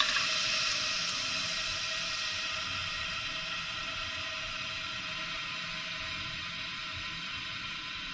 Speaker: That is still coming up, just in my opinion, a little bit too far. You can still hear that it's seeping just a little bit.